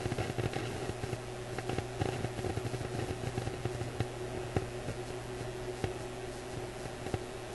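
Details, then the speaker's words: Graetz Polka 1113E German antique tube radio under oscilloscope signal tracing: sharp irregular pops, clicks and static over a steady low hum, with the voltage at the probed circuit point fluctuating; intermittent static, source not yet found. "So I'm hearing the pops and clicks and static in the radio, and I'm seeing the voltage at this point fluctuate. And I'm guessing you can hear that static and clicking too."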